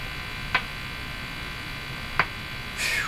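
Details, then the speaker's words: Silvertone 101-583-2 multiband tube radio, testing field coil overheating fix: steady hum broken by sharp irregular pops and a scratchy sweep; suspected loose connection, resistors to be replaced. Intermittent crackle. "something going on here sounds like a loose connection to me"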